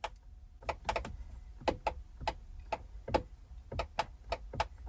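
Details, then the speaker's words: 1998 Corvette C5 driver's door window switch: sharp isolated clicks with no motor whir or glass movement; power reaches the switch and door, window dead, owner suspects worn motor contacts or a motor needing a jump start. "you can hear that so there is power getting to the switch and it's the same with this switch here if I try it you hear it right so as power get into the door that's not the problem the problem is that the probably the points in the motor or the motor needs a little jump start in some shape or form"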